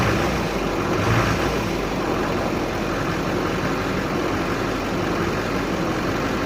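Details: 2006 Chevy Silverado 2500HD Duramax LBZ diesel, injectors at 194K miles, first start after upper engine and injector cleaning: steady even diesel clatter at idle with no stumbling or surging, running cleanly.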